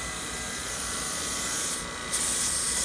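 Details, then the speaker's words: 1969 Mercedes-Benz 280 A/C, York-to-Sanden compressor conversion, nitrogen pressure test: steady high-pitched hiss throughout; system held deep vacuum but leaks under pressure at rubber hose crimp; new hose planned. "oh yeah we got leakage now you see how deep of a vacuum the system held but yet it's leaking under pressure"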